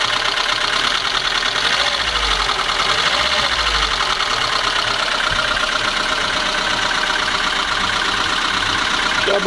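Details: VAZ 21213 engine idling evenly with a light, regular ticking knock over the engine note; internal knock, cause not yet pinned down, valve cover to be removed for inspection.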